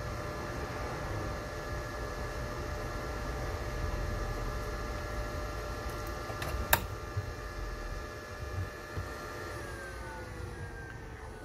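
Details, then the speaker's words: Netgear ReadyNAS Duo RND2150 NAS after replacing the RAM module; steady fan whir with a faint hum, with the pitch dropping near the end as fan speed reduces to normal. A RAM fault is suspected. "Hey, that is a much better sign. The fan speed actually got reduced, if you can hear that."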